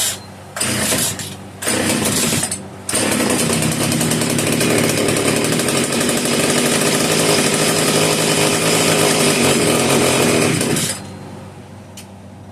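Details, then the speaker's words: Italian-made Castor 330 Antivib (rebranded Alpina) chainsaw, choke off, trigger hold on: several sputtering catches, then rough uneven revving about eight seconds before cutting out; owner suspects rock-hard carburetor diaphragm, probably won't run on its own fuel. "My guess is the diaphragm in the carburetor is rock hard, so it's probably not going to run on its own fuel supply, is my guess."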